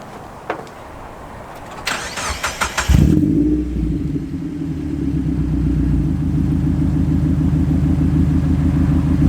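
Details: Mazda Miata, first start after installing a Super Miata crossflow radiator, QMax coolant reroute, MazdaSpeed intake cam, timing belt and water pump, and ISR headers with EGR delete, no check engine light: clicks, then a clean catch into a steady idle.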